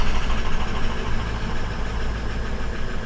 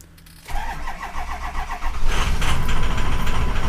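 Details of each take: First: 2004 Ford F-250 diesel, crank-no-start fixed by installing a BulletProof Diesel FICM power supply (FICM main power about 49 V): just after firing it rumbles with an uneven, lumpy knock at idle, then steadies. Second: 2004 Ford F-250 diesel after installing a BulletProof Diesel FICM power supply (FICM main power about 49 V): cranks, starts slightly rough after about a second, then settles to steady idle with sync and IPR about 51%; normal start.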